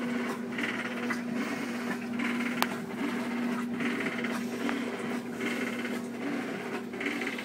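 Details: 2-year-old Whirlpool Cabrio top-load washer: loose, uneven rattle in bursts about once a second over agitator hum during wash stroke, not during spin; owner suspects bearings, not confirmed.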